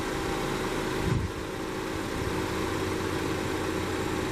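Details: 2014 Chevy Equinox 2.4L that stalled on take-off with code P0011, after new spark plugs: quiet, smooth idle with a faint steady hum and no misses or stumbles; engine sounds healthy.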